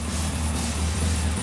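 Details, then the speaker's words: Gemini at first start after the build, running Haltech engine management on an initial fuel map: an even, deep low rumble at idle with no knocks, ticks or stumbles. The engine runs smoothly. "The Gemini lives. It lives. And just sounds good. It sounds really good, actually, doesn't it?"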